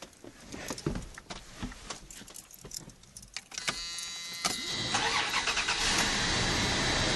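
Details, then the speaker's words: 1988 Dodge Dakota 3.9L V6 TBI after throttle kicker (idle air control) rebuild, air box off and vacuum lines open: cranks a few seconds, then catches into a loud, fast idle because the IAC is extended too far. "it looks like it's pretty far advanced so it might be kind of loud when it turns on and she won't run quite right because there's some open vacuum lines to the engine"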